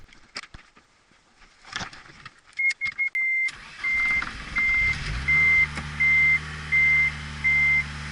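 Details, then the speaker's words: Car whose injectors had clogged, after sorting the injectors: brief crank, catches at once, smooth even idle with chime beeping; normal start, idle speed control motor still bad. "wow it was even eager to start up that time and it sounds really good air fuel spark check"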